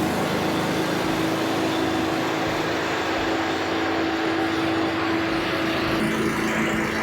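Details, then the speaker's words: Cub Cadet leaf vacuum that would not start, after a carb rebuild and started on choke: loud steady fan roar with an even engine hum, running smoothly. "all right you guys that is all she wrote for this Leaf V here just a simple carb rebuild nothing crazy"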